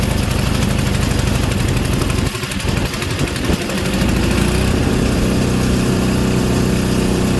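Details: Craftsman Series 2 snowblower bought at auction, after ignition points checked and continuity verified: a few uneven cranking chugs, then it catches and settles into a strong, steady run that fires cleanly.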